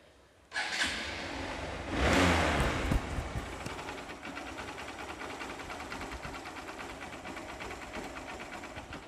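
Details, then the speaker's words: Hero Hunk 150R at about 48,000 km after repair of a head "jhirjhir" noise, just set up and expected to smooth further over 10–50 km: starts, blips once, then even fast idle with no knock or rattle. "মাত্র set করা হলো, ইনশাআল্লাহ 10, 20, 50 kilometre চালাইলে আরও সাউন্ডটা smooth হয়ে যাবে।"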